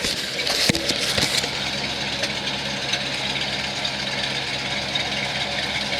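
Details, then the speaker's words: 1978 Ford Thunderbird, after being flooded and starting right off: a couple of clunks, then an even, steady idle with a smooth exhaust note and nothing irregular; normal idle. "she sounds smooth this is this exhaust is this is this is unbelievable listen to this"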